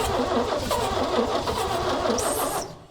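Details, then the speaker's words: 1965 Chevy C-60 truck, 292 inline-six after backyard head rebuild with loose valve lash, cranking with fuel poured in: fast, uneven cranking with ragged firing, maybe three cylinders firing instead of one, before it dies. "She really wants to. >> Come on, girl. She wants We got maybe three cylinders firing now instead of one."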